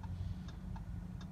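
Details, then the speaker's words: Audi with MMI: light sharp clicks, about four in 1.5 seconds over a low hum, as the key is turned and the steering lock releases the ignition, as it should; normal ignition unlocking. "and you'll hear this like you might have heard it over my mouth running that means the ignition is getting unlocked"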